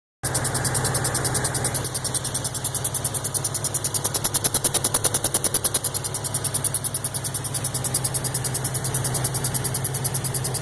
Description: I have located the chirp around the turbo inlet area? Any ideas?